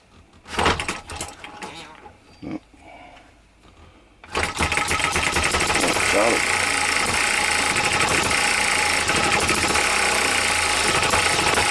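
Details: New OKMO Microcosm M92 miniature hit-and-miss engine, first run on Zippo lighter fuel with a few drops of outboard oil: after fumbling it catches and holds a steady quick chuff, about three to four beats a second; running fine.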